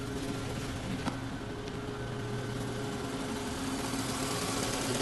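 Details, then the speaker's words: 2014 Volkswagen Jetta with a flashing engine light, misfires on cylinders 1 and 4, plugs and injectors checked OK: uneven, shaking idle with a stumbling beat; ignition coil internally damaged. "can see engine is shaking a lot so we done all our Diagnostics now the main issue that we found is this ignition coil internally damaged so it's not allowing the part to go and U fire up that number one and number four cylinder"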